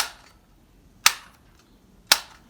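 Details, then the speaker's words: 1980s Lego 7860 12V remote controlled signal, early-variant remote dated week 41 of 1981: three sharp, crisp clicks about one second apart over near silence; early-style buttons click as designed, normal button click. "so this is the clicking that i'm talking about"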